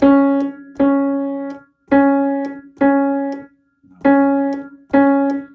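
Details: Faint dull knock at the attack of each struck piano note, repeating with every key press; loose, wobbling action parts, which a re-pinned pin did not cure, knock against each other.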